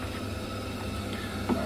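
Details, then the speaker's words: Ideal Logic HE15 heat-only boiler that leaks around the condensate trap while running: soft, steady low burner rumble with no popping, whistling or surging; burner firing normally. "now you can hear that the bar is running"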